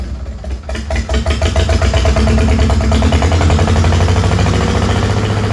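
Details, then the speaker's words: Old Farmall H four-cylinder gasoline tractor, just revived with fresh oil, oil in the oil-bath air cleaner, battery and gas, catches and idles with an uneven, stumbling beat and weak pull. It shows blowby and is suspected to be missing on some cylinders and down on power. "I don't think it's running on all the cylinders right now. It sounds like it's down on power."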